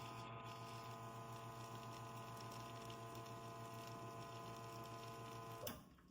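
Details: Espresso machine single-shot button extraction (about 15–18 ml); steady low electric pump hum with even buzz for about five seconds, then clean shutoff; normal pump operation.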